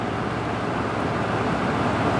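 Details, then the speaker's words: GE/Samsung 8000 BTU window air conditioner whose fan kept cutting out on low speed. Fixed by bending the connector pin on the orange wire for better contact, so no motor replacement. Now an even, steady airflow whoosh with no cutting out or surging: normal low-speed fan operation. "Yeah, I think that was it. It's not shutting off anymore. So, that's good that this is fixed and I don't have to get a replacement motor."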